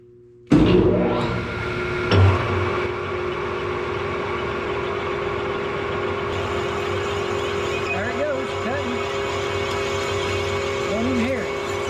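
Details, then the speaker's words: Large bit drilling through a part with an oiled rag folded against it to stop chatter: steady even spindle hum, quiet cutting, no squeal or rattle; round accurate hole drilled without chatter. "So, you can see there we got a nice round hole, accurate, and uh done quietly."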